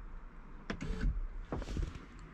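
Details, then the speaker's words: VW mk4 R32 rear door, door panel off during a lock replacement. The window motor whirs down in two short runs with a sharp crack between them, a breaking noise from the regulator area whose cause is unknown. "did you hear that you heard that little breaking noise i don't know what that was"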